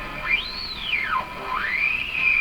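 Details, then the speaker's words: Bendix Model 110 vacuum tube radio during checkout: loud whistling squeal swoops up and down in pitch while tuning across the band. "that squeal that that squeal is telling me something about this radio"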